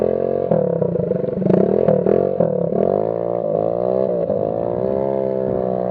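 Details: Scooter exhaust after the muffler packing fell out and the tip came off while riding, leaving only the empty silencer can: loud, raspy, buzzy blatting that rises and falls with throttle, a gutted muffler.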